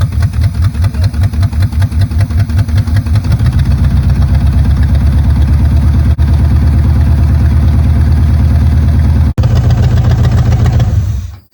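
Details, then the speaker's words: 1970 Chevrolet Chevelle V8 that sat 27 years, after resetting ignition timing and freeing a stuck carburetor float: cranks with rapid even chugs, settles into a smooth, steady lope, then shuts off cleanly. Normal idle. "We got it to where we want it to be. It's running great, it's starting great. It's all good."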